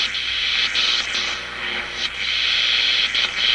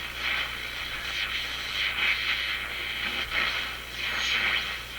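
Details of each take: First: RCA Victor A-23 vacuum tube radio after replacing paper and molded capacitors, tuned across one band: a steady high-pitched scream with hiss at one spot on the dial, judged outside interference, not oscillation. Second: RCA Victor A-23 vacuum tube radio after replacing paper and molded capacitors and cleaning controls: steady hiss, whistles and static swells as the dial sweeps the band, with no hum or crackle. Normal reception, working well on one band.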